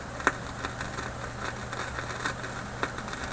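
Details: Philips 922 vacuum tube radio run tilted on an angle with speakers connected, volume down, line voltage dropping from 120 to 115: irregular sharp pops and crackles over a low hum; a failing part, and the owner suspects the IF capacitors.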